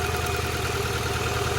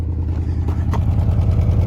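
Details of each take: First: $200 Honda Accord: rough, uneven idle with a lopsided beat and a missing pulse, one dead cylinder; swapping the plugs did not fix it, so owner suspects electrical or injector problems. Misfire, dead cylinder at idle. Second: $200 Honda Accord after fixing a dead cylinder: low, steady, even idle thrum around 200 beats per minute with no misses or popping, slight hesitation on revving; runs far smoother than before. Normal idle.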